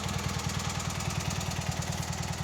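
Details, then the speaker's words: Revived Cub Cadet 782 Kohler single-cylinder at idle after carb cleaned of rust and mechanical fuel pump swapped for pulse pump; oil pressure drops to about 10 psi warm at idle; steady even putter, no knocks or misses: normal. "I think we got a pretty sweet little little Runner"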